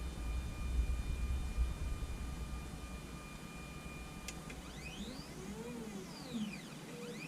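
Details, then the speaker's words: Anycubic Photon Zero Z-axis moving up and down after flipping the leadscrew nut: soft stepper tones with no squeal or rubbing, even when pushed. It previously squealed badly; fixed. "Even pushing on it, it doesn't squeal anymore. If you pushed on it before, it would squeal like crazy."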